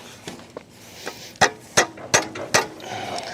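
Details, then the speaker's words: Chevy V8-powered custom casket hot rod revived after sitting, coolant drained and burping air: sharp squeaky belt chirps about three per second over a quiet idle, from pulleys not in line with one another; belt suspected cooked. "I see what's going on here. None of this stuff is in line with one another. That's [clears throat] why it's doing that."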